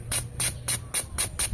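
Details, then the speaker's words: Mitsubishi Lancer 4G92 engine with a misfire, injector number one bench-tested on 12 volts: six crisp, evenly spaced hissing spray bursts over a low hum, showing a normal spray pattern. "Pagka sinalpak ah binigyan niyo siya ng 12 volts. Yun. Tsaka pala siya dapat bubugan ng ng ano ng liquid ng fluid."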